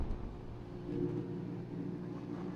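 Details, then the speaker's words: Hisense portable air conditioner after start-up: steady low hum with a faint even tone, no rattles or buzzing; normal running noise. "This is the noise and this humming noise it could make."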